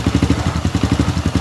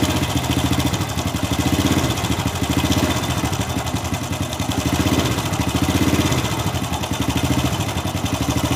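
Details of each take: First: Honda Supra Fit New motorcycle after replacing the loose cam chain and fitting the timing chain guide, before oil top-up: steady low idle thumps, no rattle or ticking; harsh left-side engine noise is now gone. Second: Honda Supra Fit New motorcycle idling: loud, fast, harsh metallic rattle from the left side of the engine over the steady beat. Loose cam chain, to be replaced.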